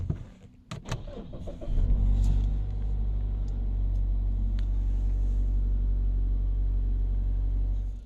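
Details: 2016 Mazda CX-5 push-button start, with an intermittent no-start and cutting out traced to a faulty brake pedal switch. A few clicks, then the engine catches at once and settles into a steady, even idle; a clean, normal start.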